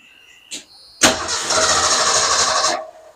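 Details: Starter spins the engine steadily for under two seconds with no catch, after sitting and a couple of gas pedal pumps; cranks but won't start, fuel delivery suspected since the pump wouldn't prime, not confirmed.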